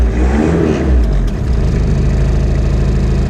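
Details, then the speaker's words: Diesel car previously run on vegetable oil, just started after sitting a while, air conditioning on. Deep, steady rumble with a slightly uneven beat at idle, dragged down by the AC load. Rough running. "goes air conditioning is on so the engine's not going to run very well come on"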